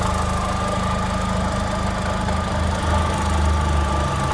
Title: my vauxhall astra 1.6 16v mk4 , weird noise coming from engine. any thoughts of what is it? thanks.